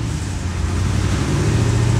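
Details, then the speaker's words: 1991 Corvette ZR1, LT5 V8 with 16 injectors, idling in secondary injector mode with a lumpy uneven rumble, running poorly; scope shows multiple shorted Multec secondary injectors causing the misfire. "so with it in the uh secondary mode here we can turn that on and you can see the engine is running poorly"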